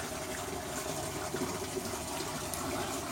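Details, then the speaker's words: Current Eflux DC return pump in DIY aquarium sump on wet test, being turned down to about 75%: steady rushing, gurgling water with even flow, no rattle or surging; sump and pump running normally. "The flow is really nice. I'm going to probably turn it down a little bit."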